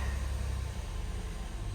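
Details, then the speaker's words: Acura TL with replacement engine installed by another shop that wouldn't start, after repair and clean fault scan: smooth, steady low hum with no knocks, misses or ticks; engine idling normally. "she is purring like a kitten all right that makes me very happy"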